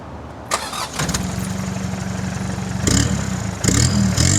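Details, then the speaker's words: 1989 Mitsubishi Pajero, 2.5 L 4D56T turbo diesel, 5-speed manual; muffler ripped off off-roading and replaced with a welded pipe. Catches after a brief crank into a raw, slightly loud clattering idle with a little turbo noise, yet still fairly quiet. "So, technically it has no muffler, but it's surprisingly quiet still."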